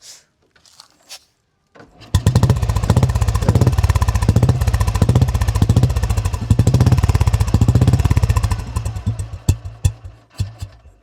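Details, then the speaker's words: 2000 Royal Enfield Bullet 350 after restoration, stock old-model silencer: kicks into life and settles to an even, steady thump of about three beats a second; healthy idle. "പഴയ model വണ്ടിക്ക് sound ഉള്ള വണ്ടിയാണ്, over sound പാടില്ലെന്നേ ഉള്ളൂ. പഴയ model വണ്ടി stock sound ഉള്ള സൈലൻസറാണ്."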